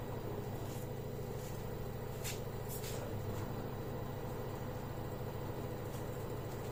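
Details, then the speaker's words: LG direct-drive 5 kg washing machine after drum bearing replacement, test run: low, even hum turning over smoothly with no rumble, grinding or jerking; machine now runs normally. "hiện tại máy giặt hoạt động bình thường, không bị ù hay giật."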